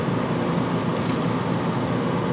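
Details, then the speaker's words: Coachmen Wyoming 5th-wheel rear rooftop A/C after taping off the intake recirculation, for excess condensation and weak flow: steady, even rush of air over a low fan hum, no rattle or surging; strong, healthy airflow throughout. "look at this airplay still good flow but not want to rip out of my hands and of course now with these closed-off I actually have earplugs coming out of my vents"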